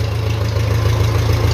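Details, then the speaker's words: 1957 Ferguson FE35 TVO tractor after an air leak was sealed with grease and the cylinder head retorqued: steady, even idle with no stumble, running a lot better. "So I just painted a bit of grease around it and it's running a lot better."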